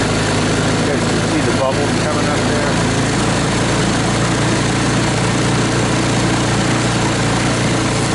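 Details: 2014 Linhai Big Horn 400 UTV, restarted after a no-spark no-start using a portable 12V CDI ignition, new plug and harness rework, with air cleaner off and battery not charging. Lumpy, hunting, stumbling single-cylinder idle; running rough, cause not yet pinned down.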